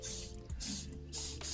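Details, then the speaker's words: Underfloor heating manifold whose loops were never filled properly: uneven bursts of sharp hiss and spitting over running water as the opened circuits draw water and pressure from the 1.5 bar boiler system. Air in the underfloor heating loop. "so this is still spitting air out you can hear water running in the system"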